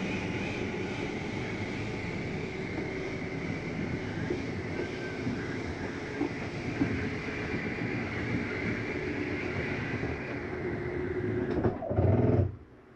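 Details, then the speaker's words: 2024 Flagstaff Shamrock 233S travel trailer slide-out retracting: steady motor drone with gear whir, rising strain near the end, then a clunk and stop as the slide reaches full in. Normal end of travel. "want you to hear that noise that's the slide mechanism telling you that it's in all the way"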